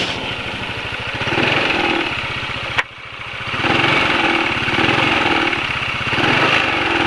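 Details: Motorcycle after an oil change to Ravenol TSi, made because engine noise was growing (attributed to piston-cylinder friction, feared fuel dilution): revs up and settles back smoothly, no harsh rattle or clatter under the exhaust. Sounds healthy.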